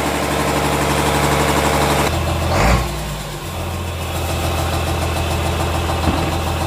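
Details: Komatsu S6D125 diesel on test run after general overhaul (broken No.5 piston, spun No.4 conrod bearing; crankshaft, liners, pistons, conrods, bearings replaced; turbo repaired, FIP and nozzles calibrated); deep even beat, brief dip, no knocks or misses; normal running.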